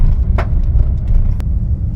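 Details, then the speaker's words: Nissan Micra steering column, recorded without external mic: two sharp clacks about a second apart over low engine rumble; knock stops when the power steering motor coupler is unplugged, pointing to the electric power steering motor. "सो यह आवाज आ रही है guys इसमें तो यह चीज भी एक बार चेक करनी है कि काहे की आवाज है बिकॉज बहुत अननोइंग है"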